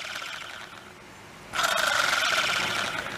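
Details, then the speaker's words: Plastic Zebco 404 reel after disassembly and greasing gears with silicone grease plus penetrating spray, handle spun by hand: light even whir, no grinding or catching; spins freer, healthy. "I know that silicone grease is waterproof it to me it's a lot freer spinner"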